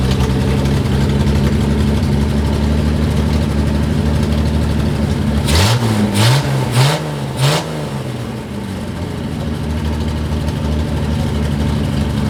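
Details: Datsun 240Z with a junkyard replacement engine idling for several minutes: uneven, lumpy, loping idle with rough throttle blips; front bank cylinders not firing, one carb has no suction, and compression shows one cylinder at 180 versus about 226-263.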